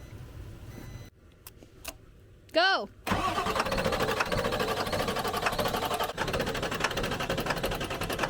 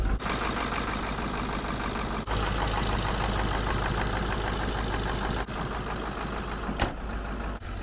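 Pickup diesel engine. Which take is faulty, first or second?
first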